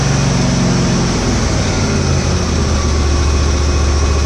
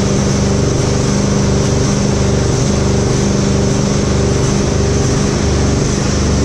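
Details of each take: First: Husqvarna GT52XLSi lawn tractor, 24hp Briggs & Stratton, after replacing the carburetor jet O-rings, not fully warm: a steady, even fast idle with a smooth low drone and no rising or falling revs; runs perfect now. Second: Husqvarna GT52XLSi lawn tractor, 24hp Briggs & Stratton, before repair: engine speed swells and sags once or twice a second, never settling; surging from bad O-rings on the two carburetor jets, fixed by replacing them.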